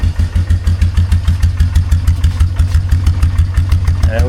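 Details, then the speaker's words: 2003 Polaris Magnum 330 4x4 after fuel pump replacement: even low thump about three beats a second, steady and unbroken, idle set a touch low; normal idle. "There we go. And she's just purring like a kitten. I guess the fuel pump is all it needed."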